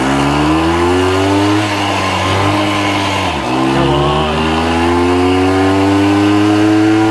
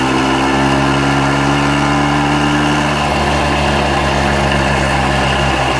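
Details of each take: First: 1965 Montgomery Wards Benelli 125 Scrambler two-stroke after revival including carb jet cleaning, riding: note climbs and drops cleanly through several gear changes, crisp even firing, no misses or knocks; runs well. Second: 1965 Montgomery Wards Benelli 125 Scrambler two-stroke riding after revival: crisp, even, strong running with steady pulses; rider notes it is still a little rattly, source of the rattles not yet found and buried in the engine noise.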